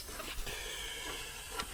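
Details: WARM monoblock heat pump under repair, leak search: steady faint high gas hiss with thin whistle, refrigerant escaping from a small hole in a pipe found under a soap-foam bubble; hard-to-reach spot needing brazing.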